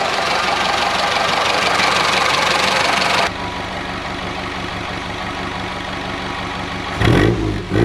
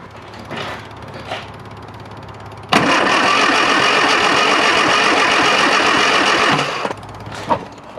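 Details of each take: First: Classic Mini Clubman Estate four-cylinder idling after carburetor dashpot cleaned with brake cleaner and oil topped up, not fully warm due to water leak: ticks over evenly with no misses or stumbles, some bumps near end; now runs. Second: Classic Mini Clubman Estate, carburettor initially dry of fuel: starter churns evenly about four beats a second for four seconds, never catches while checking spark; cranks but no start from dirty carburettor.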